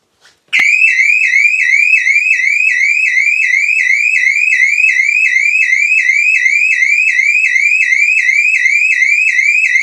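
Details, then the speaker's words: Rolls-Royce Silver Spirit III, alarm armed a minute, hand put through open window: instant loud warbling siren sweeping up and down about three times a second; alarm triggered by ultrasonic interior motion sensor. "The alarm went off instantly when I put my hand through."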